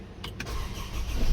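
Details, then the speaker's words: 2014 Honda CR-V after fixing no-crank fault (starter cut code, starter/fuel pump relay) and clearing codes: a couple of quick starter bursts, then catches and builds to steady low rumble; cranks and starts cleanly. "okay guys so our engine is already stuck you guys can see yeah everything is fine"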